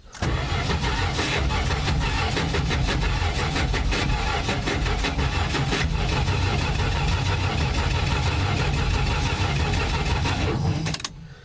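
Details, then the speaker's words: Old Plymouth Valiant, no-start attempt after cleaning the points: long harsh cranking with a gritty grinding over the starter whir, never catching; on removal the starter's overrunning clutch was found locked up. "all right so I pulled this starter off to see what's going on with it cuz I'm making all that racket and uh what happened to it is uh the over running clutch is locked up on it"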